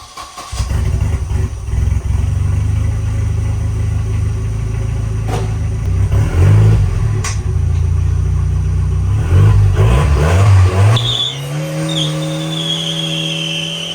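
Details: Volvo 240 after a Walbro 255 in-tank fuel pump was fitted to the stock sending unit, replacing the factory dual pumps, and a banjo bolt leak was fixed; catches after a short crank, settles to a steady idle, then revs cleanly; runs fine.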